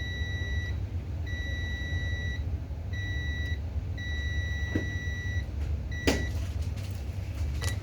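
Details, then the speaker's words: Continuity test on the last main MOSFET of an ASRock B560M-HDV motherboard that will not power on: repeated steady high beeps, each about a second, over a low hum, in both directions. The MOSFET is shorted and must be removed. "तो देखिए, हमारा यह आखिरी MOSFET दोनों तरफ से beep की आवाज़ दिखा रहा है। ठीक है? तो हमारा MOSFET यहाँ खराब है।"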